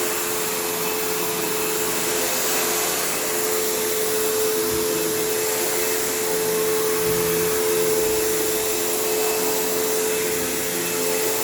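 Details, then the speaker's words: Kenmore PowerPath System vacuum, just acquired: constant high motor whine with a rough, airy roar. The motor doesn't sound the healthiest and the owner plans to take it down, but it's not bad and needs a service and tune-up. "Although I do think I will need to take this down to the motor because it doesn't sound the healthiest, but it's not bad."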